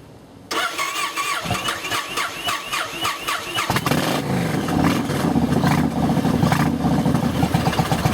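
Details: 2007 Yamaha Roadliner V-twin with cracked fuel pump housing: hard first start, starter whirs, engine catches then stumbles and lumps unevenly with throttle cracked open; rough idle from fuel starvation before the pump repair.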